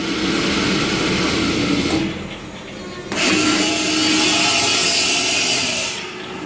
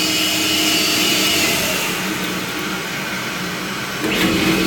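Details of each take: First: Vacuum pump running normally, steady hissing whir with no knocking or grinding. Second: A pump motor runs with a harsh, gritty hiss and faint high whine from worn bearings; the pump is toast.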